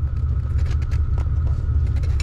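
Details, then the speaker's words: 1987 Ford Bronco II junkyard truck with manual transmission, idling in four-low with gears selected; the engine idle doesn't change or drag because the worn-out clutch won't engage in any gear: clutch worn out, not engaging. "the clutch won't engage yeah clutch is just completely wiped out on it no matter what i do"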